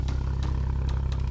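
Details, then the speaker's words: 2014 Hyundai Veloster Turbo, automatic, whose muffler was cut out and replaced with a pipe: a deep, loud exhaust drone with a rough low burble and sharp pops; the engine itself is quiet, and the loudness comes from the muffler delete. "They cut it over here, from there, and add it to here. So that's why it sounds like that."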